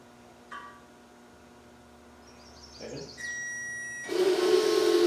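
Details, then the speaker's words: Range Rover fuel pump in tin tank, bench-powered with power probe in reverse polarity: harsh whirring hum and buzzy note, rougher than normal; pump suspected faulty, not confirmed. "that doesn't sound right at all. It doesn't sound right at all, does it?"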